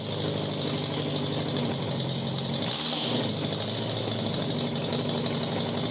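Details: 1987 Honda Gold Wing GL1200 with electrical issues: intermittent cranking, exhaust backfire at key-off. Loud, raspy flat-four idle through open pipes, lumping unevenly around the middle; rough idle, possibly a one-cylinder misfire, unconfirmed.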